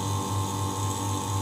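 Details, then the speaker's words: Vacuum pump evacuating an AC installation after a slow-leak repair, manifold valve opened and aiming for -30 psi: even, deep motor drone with a steady buzzing whine and no surging or knocking. The pump is pulling down normally. "kita coba hidupkan mesin vakumnya oke ya dan kita baru buka keran pada manifold ini pastikan jarum menunjukkan di skala minus 30 PSI"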